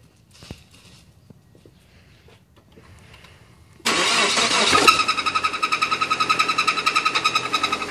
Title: Suzuki aerio rod knocking